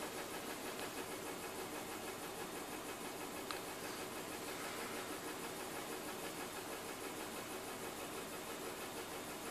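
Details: BMW M52TU B20 engine at idle: uneven, hissy patter with a stumble recurring a few times a second; misfire on cylinder 6.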